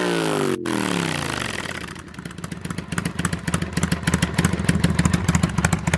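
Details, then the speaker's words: 2005 Kawasaki Vulcan 800 quick startup before sale: starts, revs and drops, then settles into an even V-twin lope; normal idle and revs, healthy. "this is my 2005 Kawasaki Vulcan 800 and someone's actually coming to buy it today so before we sell it I wanted to bring it out here and give it a quick startup and let you guys hear it"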